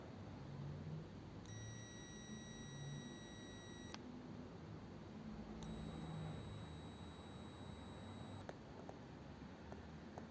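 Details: 1932 two-door sedan with non-working overdrive: continuity tester on the repaired overdrive switch, contacts pressed in but not yet crimped, gives two clean steady high beeps of about two and a half seconds as the plunger is pressed; the switch closes properly.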